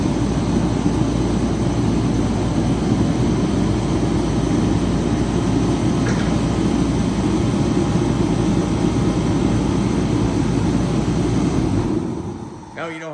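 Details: Remington 135 (REMT-135T-KFA-O) heater after its no-run repair, pump pressure set to 5 PSI, final test run: steady even roar and fan rush with no surging or sputtering before shutdown. It burns cleanly.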